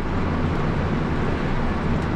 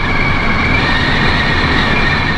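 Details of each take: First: Pössl camper van at speed after sealing the front Midi-Heki roof skylight with a strip (it whistled loudly from about 65 km/h): steady low road and wind rumble, whistle gone. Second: Pössl camper van, driving from about 65 km/h: steady high whistle over road rumble from the front Midi-Heki roof skylight, before adding a seal strip to its front edge.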